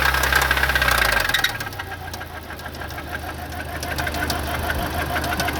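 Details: Audi B7 A4 right after start-up: steady knock about three per second through the idle, verified not timing chain or tensioner, source still unidentified; engine knocking.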